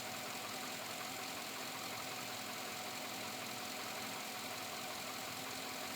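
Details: 2007 Chevrolet Avalanche V8 at about 86,000 miles, quiet idle with a loose, uneven tapping about three times a second. Possibly an engine knock or piston slap, cause unknown; still knocking after four dealership visits.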